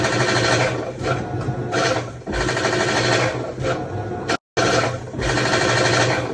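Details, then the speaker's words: Whirlpool top-load washer that showed F7 E1 code, actuator recently replaced: loud harsh rattling grind surging with each agitation stroke; suspected drive splutch hitting the shield, possibly from a backed-out bolt or dropped splutch wheel. "That sound is directly coming from the drive Splutch hitting the shield, probably cutting into it."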